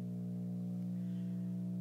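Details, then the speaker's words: Constant low buzzy mains hum through a Bang & Olufsen receiver; owner wonders whether a bad capacitor is to blame, not confirmed. "why do receivers make that noise I mean this is a problem that happens in general with certain receivers"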